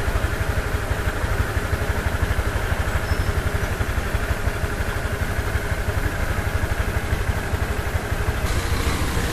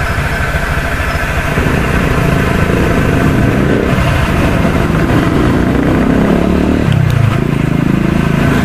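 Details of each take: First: Honda Click V3 125i scooter at idle after the CVT was opened and its dirt cleaned out, greased and belt scrubbed: smooth, steady idle thump with no rattle or squeal; the earlier CVT noise is gone. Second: Honda Click V3 125i scooter at idle, parked outside, before opening the CVT cover: rough, uneven rattle over the engine beat; CVT noise that started faint and grew louder over time. Possibly worn rollers or belt, not yet confirmed.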